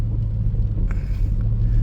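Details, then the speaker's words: 2004 Toyota Tacoma 4-cylinder, 141,000 miles, after repair of a dead misfire on cylinder 1, warm after repeated heat-soak restarts; steady, even low rumble with no skips or stumbles, all cylinders firing; normal running. "let it heat soak a few times you know shutting it off turning it on absolutely no misfires no dead cylinders I'm going to call this one fixed at this"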